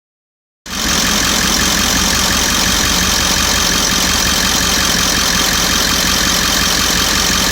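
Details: 1998.5 Ford E350 7.3 diesel warming up at idle: loud steady clatter with an occasional sharper pop or spark-like knock; recent fuel tank delamination trouble; cause unknown.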